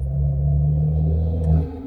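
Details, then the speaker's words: Toyota A90 Supra with a snapped, loose exhaust valve flange, before a new GTHAUS GTC exhaust is fitted: deep, steady droning hum with a faint buzzy vibration as the loose flange shakes with the exhaust pulses. "okay, maybe you can only hear my like intake, but you can hear it like kind of vibrate. It's like the weirdest sound ever. And like there are times where, because the flange is just loose right now, it's just doing this, right?"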